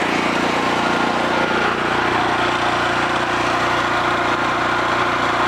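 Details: Homelite 5000 W generator after AVR replacement and field re-excitation via the brushes, now producing power: steady, even engine drone holding one speed with no misses, knocks or surging; normal running.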